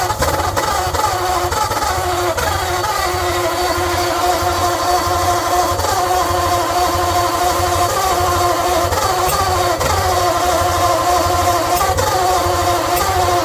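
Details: 1948 Ford Flathead on an engine stand with a leaking, worn-out carburetor and choke half open: uneven chuffing, firing rhythm stumbling and sagging every few seconds.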